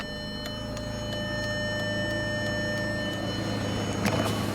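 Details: 2007 Volkswagen City Golf, 5-speed manual, 129,000 km, parked with engine running and hazards on: steady, even clicking about three times a second from the hazard flasher working normally; owner suspects an exhaust leak, ABS light on.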